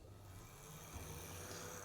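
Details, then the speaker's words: Model train locomotive motor on a Gaugemaster controller during test: steady, even motor hum, smooth constant tone, no catching or stutter; runs fine. "there we go so that one's working fine so"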